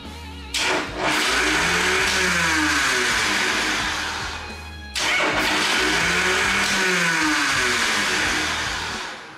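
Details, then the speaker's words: 1981 Harley Shovelhead starter whirs up and sags in a rising-falling whine over two cranking tries without catching, the Bendix drive kicking out; owner suspects the Bendix drive or the solenoid not pulling it out, not confirmed; solenoid later replaced. "so it's definitely the Bendix Drive misbehaving in there either the solenoid is not pulling it out it could be that too"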